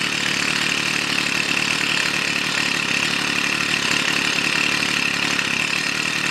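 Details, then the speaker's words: Stihl FS 55 two-stroke trimmer, fixed no-start caused by too much oil in fuel mix (diluted with clean petrol): even high-pitched drone at steady speed, no misfires; normal running. "еще раз попробую все работает на этом всё всем добром"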